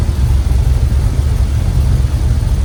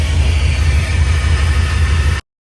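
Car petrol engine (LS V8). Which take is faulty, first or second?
second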